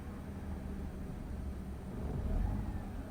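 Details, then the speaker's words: Mazda RX-8 rotary, hot and possibly in limp mode with radiator light on after overheating and coolant loss: quiet uneven low rumble sagging after throttle release, slightly misfiring, struggling to hold 1000 rpm idle, near stalling. "it's slightly misfiring at one so i let go of the gas completely it's trying to remain idle at 1000 rpms"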